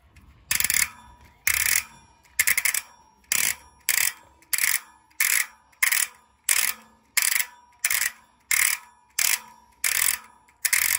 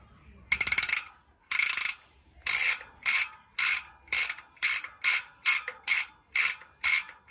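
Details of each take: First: Trinx Striker K026 bike with Maxzone Stroke 1.0 rear hub, freehub spin sound check after replacing stock pawl springs with new ones: loud, crisp, even buzzing ratchet bursts about every 0.7 s per spin; freehub pawls engaging normally. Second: Maxzone Stroke 1.0 freehub on Trinx Striker K026 bike, hub never repacked per previous owner, before spring replacement: repeated bursts of bright, thin, dry ratcheting clicks, about one spin per second. Weak freehub pawl springs.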